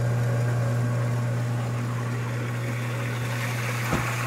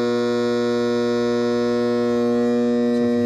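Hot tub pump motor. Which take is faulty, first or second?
second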